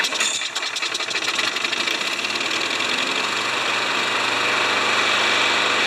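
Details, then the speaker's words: Craftsman mower engine run on the bench after an oil change, pre-filter shot: uneven metallic tapping, about three a second, over a buzzy small-engine run; worn engine knock. "that'll explain the knock in the engine too right because the engine's knocking a little bit"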